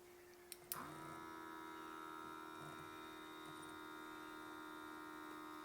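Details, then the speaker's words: Quivena airbrush compressor left with product inside and not cleaned: a click, then a steady motor hum with a thin high tone and no air flow; the nozzle is clogged. "if you guys have airbrush systems you will know if sometimes you forget to take out the product in these if you don't clean this out your machine will do this"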